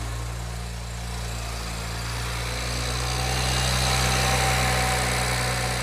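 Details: BMW E92 335i N54, idling just after a restart (65 psi fuel pressure) following refitting of new port injectors that leaked and caused hot-start problems, with port rail O-rings reseated; steady even hum, no misses or hiss; normal idle.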